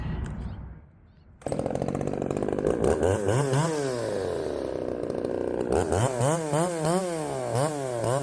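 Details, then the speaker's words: Poulan 3750 chainsaw, ported, tune unchanged, after a loose exhaust was tightened: revs saw up and sag in a repeating cycle, never holding a steady idle, and load up when richened. Unstable idle; mixture suspected. "I mean it's not wanting to settle down and then whenever I rich it up to get it to settle down it loads up or at least that's what it seems as though it's doing"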